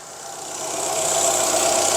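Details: Fiat Palio 1.0 with intermittent misfire when warm, after replacing the ignition coil (cylinders 2 and 3 side), no plug leads changed: smooth, steady engine note building slightly, no stumbles or misfire beats; running healthy.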